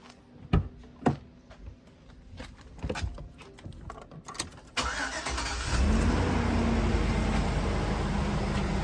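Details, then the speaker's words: 2004 GMC Yukon after fuel injector replacement: quick crank, catches at about five seconds, then a steady, even low idle with no misses, knocks or leaks; normal start and idle. "nice fast start good idol no sign of leaks all set"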